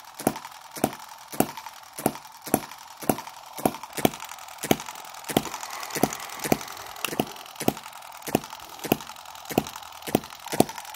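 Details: Microcosm M17 1.6cc model hit-and-miss engine being revived; it had been dying from over-richness and flooding, cleared by holding the exhaust open and turning it over. Sharp pops about every half second with quiet coasting between: normal hit-and-miss running.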